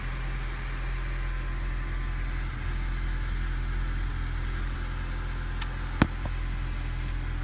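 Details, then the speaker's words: 2004 Honda Civic idling with code P0303 cylinder 3 misfire: deep uneven rumbling, stumbling idle; cause was a leaking head gasket, fixed afterwards. "p303 cylinder 3 misfire detected all right let's write it down three start it up for you doesn't sound good at all"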